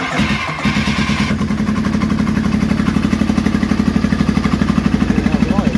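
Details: Triumph T140E Bonneville 750 twin (converted to T140V style), first start after Ark Racing electric starter kit install: fires up and settles into an even steady idle thump, clean regular beat, nothing odd.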